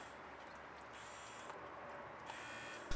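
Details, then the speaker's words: Front e-locker actuator for a 1989 Toyota pickup with a 1UZ V8 swap, plugged into a repaired, soldered harness for testing: two short high-pitched motor whirs about a second apart, then clicks. The actuator works normally. "and now that i proved this actuator works it's time to clean it up give it a fresh coat of paint"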